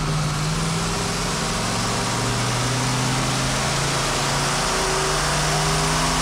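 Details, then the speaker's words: Old, tired original two-barrel V8 from a 1977 Ford Granada, repeat dyno pull, making 99 hp. A loud drone holds at high revs without climbing, slightly rough at the top. Cause not confirmed. "s a little rough. Definitely starting to miss there. Not bad though."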